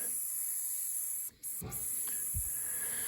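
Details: 40+-year-old Peerless gas boiler system with banging, failed B&G 100 circulator: steady high hiss of air escaping from slightly opened convector bleeder, with a few gurgles, purging trapped air until water comes; boiler pressure may need raising.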